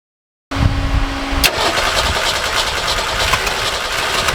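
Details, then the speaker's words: Forklift engine before repair, worn carburetor, muffler torn off after right-side impact: cranks, catches, then runs loud, rough and uneven through the open exhaust with black smoke; rich running pulling exhaust into the intake. "I don't know how well you can hear me, but we've got some problems. One, this thing runs like crap."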